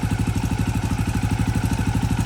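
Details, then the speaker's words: KTM 530 single-cylinder, first start after engine rebuild and reinstall with new battery and exhaust, cold: even, steady thump at quick idle, no knocks or misses; normal idle. "dang that's a really good sign it's burned like a freaking kitten guys"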